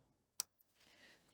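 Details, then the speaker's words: QT 13 electric fence energizer with VKP module, armed with feed and return bridged, reading 9.2 kV and 3.2 joules, no AC supply: a single sharp, crisp pulse tick in a quiet room; normal energizer pulse. "We can now hear the energizer is ticking and the voltage being 9.2 KV."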